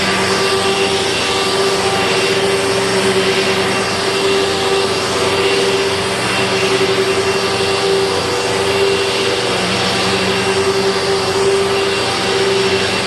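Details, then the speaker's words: 2000 Dirt Devil Featherlite upright vacuum, test run with a bag after four bearings were rebuilt (two brush roll, two motor): a loud, steady high-pitched motor roar with a constant tone, no rumble or grinding. Motor running normally. "Well, it's certainly not perfect, but with 4 bearings rebuilt, 2 in the brush roll and 2 in the motor, I just bet it's going to sound a little bit better. But this thing was never meant to be quiet, to be sure."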